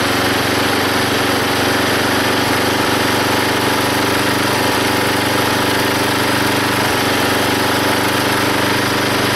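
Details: Belt-driven log splitter small engine after fitting a homemade spring-tensioned idler arm and pulley to stop the belt flying off: steady busy drone pulling through splitting load, no surging or squeal; hardly any belt slipping.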